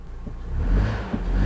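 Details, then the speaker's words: 2005 Honda Odyssey running with code P0303: lumpy engine note with an uneven low thump breaking the rhythm as cylinder 3 misfires; fuel trims read normal. "the code we have is p 0303 misfire number three cylinder so cylinder 3 is misfiring"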